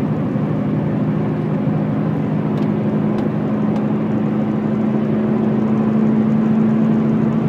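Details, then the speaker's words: Subaru Impreza hatch 5-speed at highway speed: heavy throbbing drone with severe vibration shaking the car and steering wheel, like missing wheel weights; driveshaft U-joint suspected, unconfirmed. "it feels like someone just took all the wheel weights off the cart even the steering wheel shaking"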